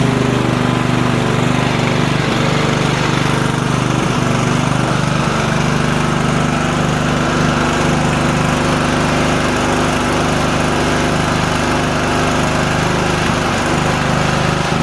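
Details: Small engine after a makeshift repair of a broken carburetor fuel inlet: steady, even buzzing run at constant speed with no stumbles or surging; normal running.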